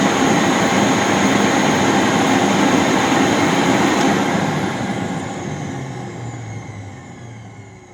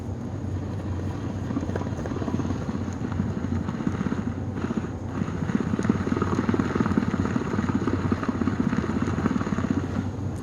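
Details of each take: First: Rainbow D4C SE canister vacuum motor after a bearing rebuild, with water in the bowl, drawing 9.8 amps: smooth, even rushing roar with no grinding or rattle, then a clean steady wind-down. Normal running; a dramatic improvement over the failed-bearing tick. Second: 1997 Rainbow D4C SE canister vacuum motor, bench pre-test after bearing rebuild before refitting in shell: steady high-speed whir with a fine quick ticking throughout, caused by one failed new bearing.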